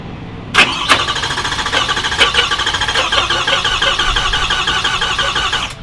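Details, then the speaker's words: 2021 Ford F250 6.7 diesel with deliberately contaminated CP4 high-pressure pump and bypass kit, driven about 500 miles wounded: heavy, labored cranking with uneven thumps for about five seconds, never catching; pump suspected seized. "I think the pump is actually seized up and it won't even let the engine crank that we're gonna have to tear into it see what we find"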